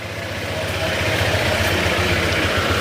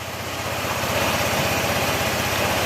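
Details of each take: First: Honda ADV160 scooter at 31,941 km, before repair, electric fan hiss behind: idle with light metallic tick and rattle over each firing pulse, noisier than it should be; engine rattle and ticking at idle. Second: Honda ADV160 at 31,941 km, after engine overhaul with parts replaced, airbox off: quick even idle beat under airy intake hiss, no knock or rattle; engine now quiet compared with before, normal idle.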